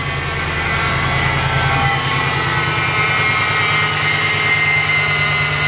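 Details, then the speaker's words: 2014 Ram 2500 wrecked salvage truck, about 61,000 miles, first start since November; steady idle with faint thin high whine of constant pitch over the engine, owner thinks power steering pump, exhaust leak also heard at start; whine at idle. "So it sounds like we've got a whiny power steering pump."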